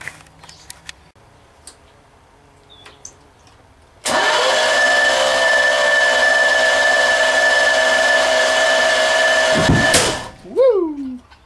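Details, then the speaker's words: 383 stroker V8 on the shop floor: fast, even starter whir for about six seconds with no compression pulses or firing; owner concludes over-tight valve lash has rockers holding valves cracked open, bleeding off compression. "the rockers are actually holding the valves cracked open and not letting them seat off, and all the compression is just, the reason they ain't got no compression, it's just bleeding right on out."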